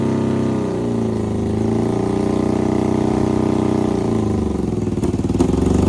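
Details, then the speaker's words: Half-scale NASCAR kart engine after new custom aluminum intakes were fitted: loud, fast, slightly uneven idle that won't drop back and doesn't respond to the idle screws; intake air leaks suspected; throttle response good; high idle. "Now, I don't know if you guys are able to hear anything I was saying because it is so loud, but it's super responsive. It's running great. It's just having the high idle. The idle screws aren't doing anything."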